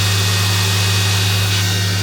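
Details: Mori Seiki NTX1000/SZM dual-spindle CNC lathe (79,169 machine hours, 26,832 spindle hours), sub-spindle commanded M34 at 6000 rpm: steady even low hum near 100 Hz with clean hiss above, no knocks or grinding; healthy spindle running.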